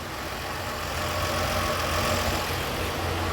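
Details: 1953 Chevrolet pickup, parked since Hurricane Katrina and partly converted to 12 volts, on non-ethanol gas, first start in years: steady, even low rumble at about three and a half beats per second with no misses; a healthy idle.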